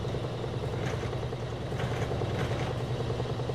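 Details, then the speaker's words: Frigidaire laundry center washer (model FGX831FS5) with an intermittent no-spin complaint, belt and transmission visibly spinning: a steady low motor hum and smooth belt whir, no knocks or scraping, speeding up; a normal spin. "we can see the belt spinning can see the transmission spinning it's going to go faster and faster get all the water out"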